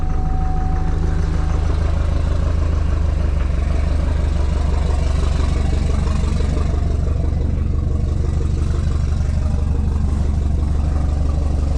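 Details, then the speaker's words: 2007 Chevrolet Duramax diesel, died blowing white smoke, fuel issue: loud low idle with uneven chug about two beats a second, reduced power; possibly not on all cylinders, rail pressure too high, fuel pressure actuator suspected. "he is running even sound like it's hitting on all those have something else unplugged that I am not aware of"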